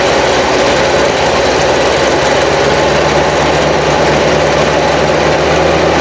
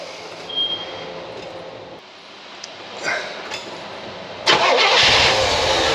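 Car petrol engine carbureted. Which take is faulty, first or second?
second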